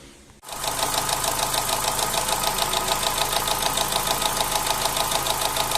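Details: Opel Z16XER engine with camshaft phaser (variable valve timing) gears rattling: hard regular tapping about three per second over an uneven, shaking idle, after years of brief start-up knocking; oil pressure measured about 1.1 warm, 1.6–1.8 cold; phaser valves removed and replaced.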